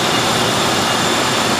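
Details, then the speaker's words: 1995 Ford Crown Victoria LX after replacing the serpentine belt, idler and tensioner pulleys (Gates): steady, even engine hum with a faint high whine and no squeal, chirp or ticking; the earlier belt screech is gone and the engine runs well. "I think this is going to do it for the belt drive system on this car for the next 100,000 mil and probably another 20 some odd years engine's running really good"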